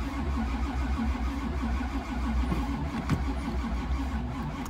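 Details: 1985 Camaro Z28, dual-carb 383 stroker, cold start near 2 degrees with weak battery on charger: rhythmic low starter chugging that never catches into idle; cold no-start.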